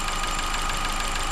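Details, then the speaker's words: Ford New Fiesta, warmed up with cooling fan running after coolant pressure reached about 0.9 bar: fast light ticking over idle, mechanic says it sounds stranger when hot, cause unclear; valve train ticking when warm. "S que depois que aquece Parece que fica mais estranho ainda eu vou deixar ele aquecer e vou mostrar para vocês de novo"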